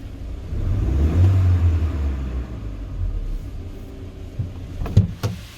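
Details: 2020 GAZelle Business van, UMZ-4216 Evotech 2.7, 823 km, warmed to about 90–95 °C after replacing one hydraulic lifter that knocked when hot; smooth, even low idle with no top-end ticking, problem solved.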